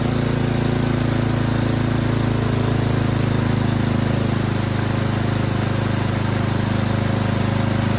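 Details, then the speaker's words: Yard King snowblower that would not start, small single-cylinder engine at full throttle with choke on, chugging with an uneven lumpy beat while the high and low carburetor mixture screws are being set; carburetor was not tuned correctly. "a lot of times you can just hear the engine you can hear it's running real rough and then you make an adjustment and it picks up and it sounds better that's that's what you're listening for"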